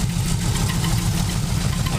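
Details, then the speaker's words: 1947 Cadillac Series 62 with flathead V8, belt squeal noted: low, even idle with steady beat, no missing cylinder, settling without throttle; engine running healthy. "i need to tighten up on that [Music] that sounds a lot better"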